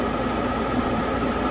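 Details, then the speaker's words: Gas furnace with a pressure-switch no-heat fault, inducer motor starting: steady, even hum with faint whir, no rattle or scrape; running normally. "So right now the inducer motor is kicking on."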